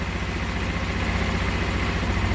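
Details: 150cc scooter, completely cold, first start after fitting a new carburetor to cure hard cold starting: the single ticks over at a steady, even pace with no stumbling or hunting; normal cold idle.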